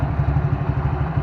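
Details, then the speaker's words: Motorcycle after fitting a CNC primary clutch set, exhaust refitted and oil returned: steady, even low idle throb; earlier slapping from the clutch side, blamed on a worn, loose part, is gone and the engine is quiet. Normal idle. "Ayan, tahimik na nung makina oh. Wala na yung lumalagapak dito."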